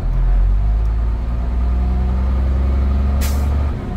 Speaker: okay that was my Governor cutoff valve tells me that my tanks are full and the system is fully charged